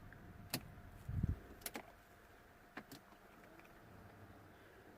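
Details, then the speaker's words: 2001 Porsche 911 Carrera 2 (3.2 or 3.4 L engine), intermittent no-crank, battery low: key turned gives a few dry clicks and faint fuel pump hum but no cranking. "so let's going to turn ignition on let's try to crank yeah nothing happened"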